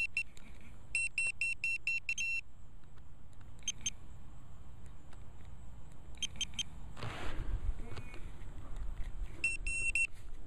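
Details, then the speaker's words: Velox 1 metal detector in a park with sensitivity set too high; irregular bursts of sharp high beeps chatter over outdoor handling noise as the detector falses, until sensitivity is turned down. "Okay, a little too sensitive. Alright, yeah, that's good."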